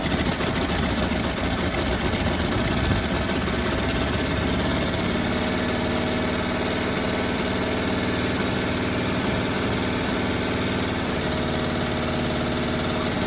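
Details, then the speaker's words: 1957 Bel Air that sat 30 years, gravity-fed from a gas can, idle turned up slightly, rough raspy chuffing hiss at each firing pulse from a massive exhaust leak; water pump or generator locked, belt loosened. "actually running pretty good the massive exhaust leak over here oh my god"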